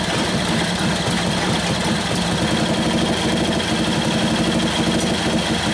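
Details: 1941 Harley-Davidson WLD 45 flathead V-twin, 56ci stroker build, warm, loaded in second gear against the held brake: even loping beat with no knocking or stumbling; healthy and well tuned, sounds like it has a cam.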